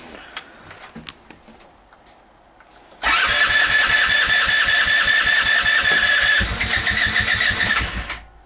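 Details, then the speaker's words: Go-kart hard cold start in snow, just above freezing, after starting spray; small engine fires, buzzes unevenly for a few seconds, then sags and dies, unable to stay running. "this is definitely a cold star hard start it's not even that cold out either just above freezing"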